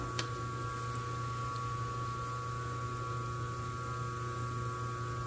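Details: 127 V washing-machine motor on its original 25 µF run capacitor, drawing 2.6 A against its 2.7 A rating: an even, steady low hum with a faint constant whine and no knocks or wavering. The motor is running normally.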